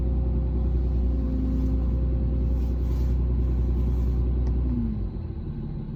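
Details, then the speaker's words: 2017 Ram 2500 6.7 diesel, about 84,000 miles: low rumble with a whine that swells and fades, heard inside the cab by the brake pedal, not outside. Caused by a failing power steering pressure hose between the pump and the hydroboost. "All right, so hopefully you guys could hear that, that noise that was coming down by the brake pedal."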